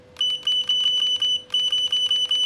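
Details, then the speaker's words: Godox V850 speedlite repaired for not switching on, fixed without replacing the board, first power-on after repair: steady faint whine under quick high beeps, about four a second with a brief pause; powering up and charging normally. "Ya coba kita hidupin ya sekarang teman-teman Bismillahirrahmanirrahim Ya itu dia ya Nah udah mau nyala ya teman-teman"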